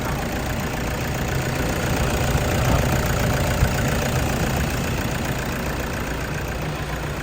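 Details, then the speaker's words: 2014 Toyota Vigo Champ 2.5 L (2,500 VN) diesel at idle. Steady even clatter, low rumble, no misses or extra knocks; smooth, no valve cover leaks, no blow-by or smoke; healthy idle. "เสียงเครื่องดังนิ่มมากนะครับฝาก็คงขวาล์วไม่มีมีรั่วไม่มีซิมนะครับถือว่าสภาพโอเคเลยนะนะครับ"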